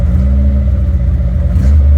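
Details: Suzuki Samurai engine on MicroSquirt 3.0 ECU, with throttle blips: strong, even low note, revs rise quickly and return cleanly, no misses or rattles; normal running.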